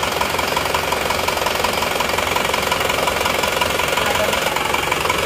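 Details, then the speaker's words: Isuzu Panther LS diesel after fourth engine rebuild in 7 months, with oversized RH13 injection pump rotor head: shaky at first start, then even idle under hard, fast diesel knock; standard rotor head to be compared. "Pada saat start awalnya agak goyang-goyang tapi setelah hidup ini sudah rata Ini kemungkinan tadi soalnya emang juga belum belum masuk semua"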